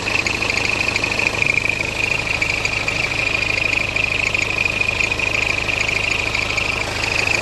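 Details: BMW F10 520d N47 diesel at idle: a high, thin squeak repeating about twice a second over the clatter. The issue was reported solved, but the source is not stated.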